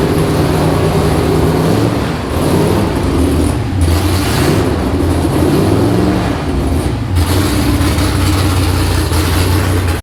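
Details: Freshly built V8 in an S15 on its first start, throttle worked by hand at the cable, before exhaust is built: deep rumble blips up and settles back cleanly without stumbling; normal running.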